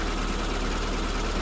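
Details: SPI Mini, petrol, engine warming after cold start, idle starting to drop as temperature builds, alternator 13.9 V; steady even fast idle with low rumble, no ticking, misses or knocking; normal warm-up idle.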